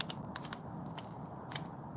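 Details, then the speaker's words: Traxxas X-Maxx brushless motor, about 1275 KV, new with two runs: shaft spun by hand gives rough, gritty, irregular clicking, with play in the shaft; the motor bearings are worn out. "wow can you hear that that's not me making noise that's literally the shaft and the bearings"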